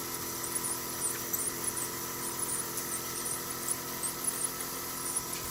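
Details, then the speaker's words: Sony AV-3400 EIAJ portapak reel-to-reel video recorder during rewind: thin, high chirping squeaks come and go over the rewind whir, then stop; owner plans to clean and oil it, cause not confirmed. "this is squeaking by the way as you can hear see squeaking stops i'm gonna have to clean that and oil it so don't squeak anymore"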